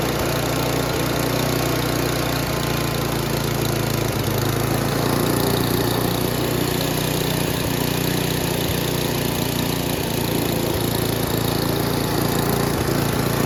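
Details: Noma/Murray Snow King 27" dual-stage snowblower, 9HP Tecumseh, with a new HIPA carburetor at full throttle: the single-cylinder holds a steady, fast, even run with no surging or misfire. Normal running, though the owner says the throttle goes too high and needs adjustment.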